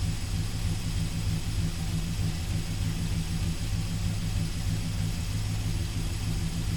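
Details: 1971 Dodge Sweptline (Power Wagon) big-block V8 at normal idle after carburetor rebuild and float level check, which fixed fuel filling the crankcase and hydrolocking the rear cylinders; deep, steady burble, even firing, no smoke now.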